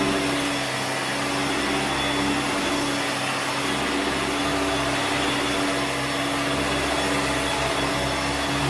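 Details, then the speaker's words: Hoover Turbomaster U5094 upright vacuum after refurbishment of both seized motor bearings (fan-case one had spun on the armature shaft), brush roll off: steady, even motor whine, no rumble, grind or pitch wobble; smooth and healthy. "It sounds very smooth now. Both the motor bearings were seized."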